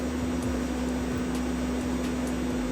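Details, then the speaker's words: SPAL electric cooling fans driven by a Haltech solid-state relay at reduced duty cycle, with PWM frequency changed to 250 for a softer start; a steady low drive hum over the fan rush, quieter but still present. "Let me try 250 and see if that makes it come on a little bit softer. A little bit better still."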